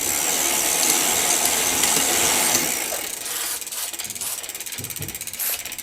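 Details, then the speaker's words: 1987 Mongoose ATB with a 3x6 drivetrain during restoration: fast ratcheting clicks as the freewheel is spun by hand, gritty and uneven rather than crisp, easing as it coasts down. Rough freewheel. "you can hear that freewheels sounded pretty rough"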